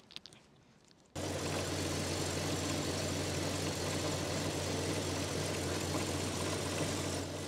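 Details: Jeep Cherokee 4.0L petrol after fitting a stainless manifold and a new connector: once fired, a steady, even idle hum with no ticking or puffing. The earlier leak noise is gone; a normal idle.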